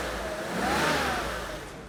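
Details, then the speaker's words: BMW E31 850i V12, revived after ten years stored, idling with a smooth even hum after the timing chain tensioner was replaced (new piston and O-ring); no ticking or rattle, the earlier chain noise is gone. "No noise! It is working beautifully. There's no more noise."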